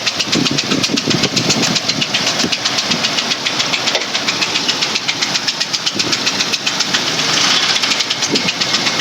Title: 03 Explorer 4.0 Engine Knock